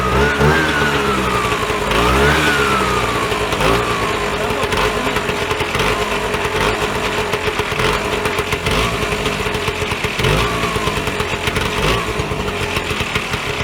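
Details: Vyatka Elektron (VP150M) two-stroke scooter, long stored in a garage, first start with no fuel preparation; putting along at idle with a busy, crackly, steady beat, running evenly; normal idle.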